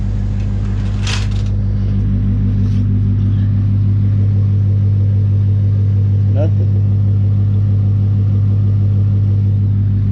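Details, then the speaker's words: 2016 Mustang GT Coyote V8 (Performance Pack) after an oil change with nine quarts: smooth, even idle with only light injector clicking and no lifter tick from underneath. "this thing honestly runs extremely smooth you know other than the injectors which you can clearly hear that's what you hear the clicking that's the injectors"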